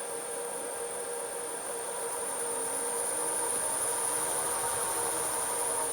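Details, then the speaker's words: Myford Super 7 lathe running in reverse with clutch engaged and speed control working: smooth steady whir, even hum and high drive whistle, no knocks; normal running. "so there she goes she absolutely works and the speed control works just fine in reverse as well as forwards"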